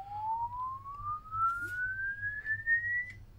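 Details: LD Zone 622 two-zone rack mixer under repair, fed a sweep-generator tone: a clean single tone glides smoothly from about 800 Hz to 2 kHz without breakup or distortion; the channel output works even though its fault LED stays permanently lit.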